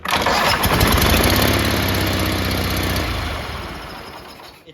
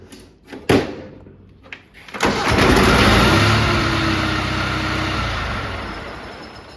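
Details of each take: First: Riding mower with a big hole in the exhaust, recorded with the hood up before an epoxy putty repair: a loud, raspy, unmuffled bark at steady speed from the leaking exhaust. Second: Snapper riding mower after cleanup: a couple of short cranks, then it catches and settles into an even putter with no exhaust blow. Sounds about the same as before, running fine.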